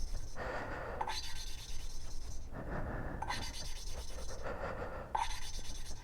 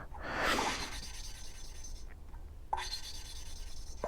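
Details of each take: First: 1983 Suzuki GS1100E inline-four motorcycle engine, valve being hand-lapped with lapping compound instead of a drill: soft rhythmic rasping grind fading as the compound grit gets finer and the valve seat nearly mates. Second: Hand valve lapping on a 1983 Suzuki GS1100E inline-four head: gritty rasping grinding as the valve is twisted on its seat with lapping compound; noise should fade as grit gets finer, so the seat is not yet fully lapped.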